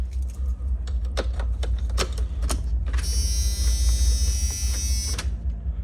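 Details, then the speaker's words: Box truck that sat 5 years, with a new starter, cranked via a dash button: steady churning turnover at about 2.5 beats per second that never catches despite a brand-new fuel pump being fitted. Crank, no start. "All right, as you see, we're cranking and we're not starting. We got a brand new fuel pump in that black box right there."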